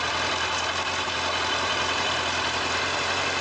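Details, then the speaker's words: Kawasaki ZZR1100 D after replacing failed fuel pump with modern return-type pump and new fuel filter, cold start: starts first try, smooth even idle with steady rumble, no hunting or stumbling. "It starts on the first try, the cold start. This pump is much better."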